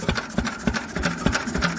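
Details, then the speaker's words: Old Lister single with exposed valves and fuel pump, running after a magneto chain adjustment (chain slightly stretched), only recently run to temperature after 40 years stored: slow, even thumping of about three beats a second with a crisp clatter. Healthy normal running. "yeah listen i don't see sunday yep that sound an absolute treat and i love it all little exposed valves exposed fuel pump"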